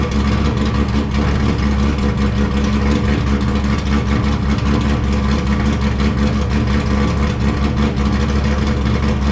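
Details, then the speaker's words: Wrecked C5 Corvette Z06 with decent-sized cam, tuned, no cats, right muffler cut off so louder; deep loud lumpy but even idle, steady rhythm, no misses, no dash lights: well-tuned normal idle. "so as you can hear this thing sounds like a beast and it seems very well tuned as well it idles well for uh for having a decent sized cam"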